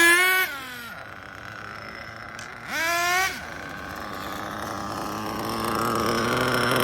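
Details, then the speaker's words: Mugen MBX5 1/8 nitro buggy, first run after sitting 14 weeks put away wet: high screaming engine blips twice, then idle keeps creeping higher instead of settling; idle won't come down, low-speed mixture lean. "See if we get control of the idle. See, it's still going up."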